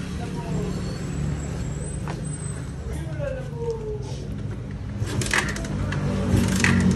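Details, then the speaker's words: Raider 150 with 28mm carburetor during carb tuning, mixture screw backed out one and a half turns from fully in; low steady single-cylinder idle thump, picking up slightly toward the end, running evenly, normal idle. "Anday, ikutin muna natin ng isang buong ikot and half. Okay, ikot tayo. 1/2."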